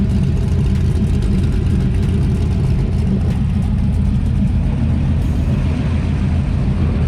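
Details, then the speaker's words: Normal running: LS-swapped IROC-Z on 3-inch dual exhaust; deep, steady V8 rumble with an even beat and no knocks or ticks, sounds very healthy. "But super happy with the car. I mean, you can hear it sounds very healthy."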